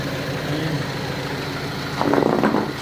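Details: Owner-type jeep started after 8 months unused; steady quiet idle with even low hum, no shake or miss, brief bump of extra noise midway; normal idle.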